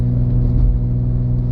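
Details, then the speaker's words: 2014 Ford Edge AWD with the Ford 3.5 L engine and a replacement transmission of about 97k miles, accelerating up a hill to 60 mph. A smooth, even drone with no clunks, slips or whine; shifting normally. "the transmission is doing what it's supposed to be doing it's shifting through the gears yeah I'm up to 60 and it's driving really smooth"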